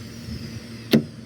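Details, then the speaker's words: Chevy Impala door lock actuator tested by pulling the lock cable: quiet background, then one short sharp clack as the lock throws; a clean single actuation, working normally. "there it goes so everything works just as it should"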